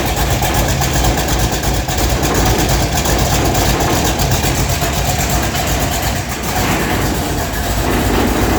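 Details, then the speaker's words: Hot rod V8 just running with new exhaust system, new plug wires, timing set close; loud, lumpy idle with rough uneven beat and faint puffing over the rumble; exhaust leak at the header on one side. "yeah so i have a leak in that one side on the exhaust something to do with the header that's got to get fixed don't like that"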